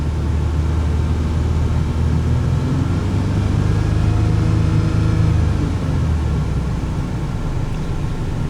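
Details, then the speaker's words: 1995 Toyota T100 6-cylinder, almost 300,000 miles, after alternator replacement: smooth, steady engine note climbing gently as revs come up, no knocks or misses; earlier a little belt squeal, battery appears fine; engine healthy. "Motor's holding together, and a little squealing of the belt, but battery appears fine. I'm slowly walking it up to speed."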